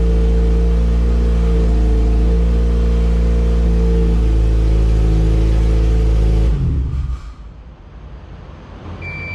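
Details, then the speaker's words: All-motor LSV Honda EF hatch on Hondata S300, lean at about 17 AFR while low-range fueling is tuned: idle holds several seconds then sags and dies; lean mixture starving it, needs more low-rpm fuel. "little lean it was about 17 afr so we're gonna get some fuel in there and uh see what happens"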